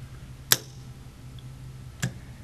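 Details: ASCO AC solenoid valve after reassembly with the coil and nameplate reseated: two crisp single clicks as it opens and closes, only a faint steady low hum between; normal solenoid valve operation, noise gone.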